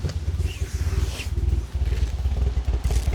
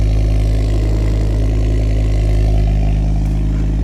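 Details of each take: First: Ford Focus ST-2 with 99,000 miles, restarted after about 10 minutes: lumpy, uneven low chuffing at idle with irregular beats and dropouts; badly misfiring, black smoke from the exhaust, engine light on, cause not yet found. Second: Ford Focus ST-2, cold, started with a booster pack and showing no engine lights: a smooth, deep, even idle with gentle blips that rise and settle cleanly.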